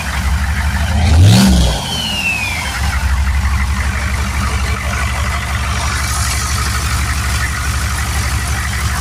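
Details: Turbo 6.2 diesel truck after adjusting inlet housing pressure, turned-up pump, 195° thermostat: quick rev then even steady idle, soft regular knock, no popping or misses, quieter with timing more correct; running clean.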